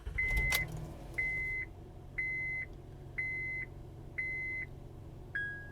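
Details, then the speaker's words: Honda Pilot with code P0562 (charging system low voltage), engine running: short bright chime repeats about once a second over a quiet engine, battery light stays on with "check charging system" message; charging system warning chime. "so right there as you can hear the engine is running and the battery light remained on and there's a message on this dash display that says check charging system"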